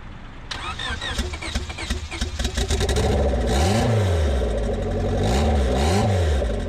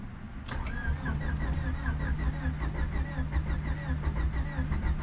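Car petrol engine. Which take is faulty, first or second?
second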